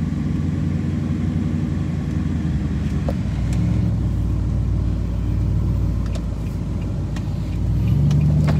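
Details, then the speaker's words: Nissan Titan running again: low, steady engine rumble outdoors, swelling slightly toward the end, no ticking or knocking; drivable and restarts, sounds normal. "this sucker is drivable again. I can kill it and it'll start."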